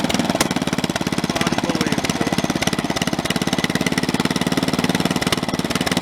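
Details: Snapper 30083 mower small single, first run after 20-25 years abandoned, junkyard flywheel fitted: running fast with rough shaking pulse and rattle about three times a second; out-of-balance flywheel, likely from a synchro-balanced engine.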